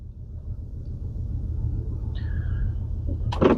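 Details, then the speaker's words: 2013 Audi A4 petrol engine idling with a heavy misfire: low, uneven thumping and strong shaking, flashing engine light, codes P0300 and P0304 for cylinder 4. "Just looking at the Audi and it's developed a bit of a misfire. So,umpump thump thump. Don't know if you can hear that, but it's shaking like a mofo."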